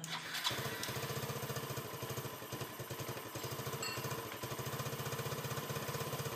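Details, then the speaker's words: Yamaha Nouvo LC scooter that had been losing throttle, stalling and sometimes failing to start, now started after repair: steady, even putter at idle with no stumbling or surging; idles smoothly. "xe đã đấu khởi động lên được rồi và tiếng nổ nghe rất chi là êm"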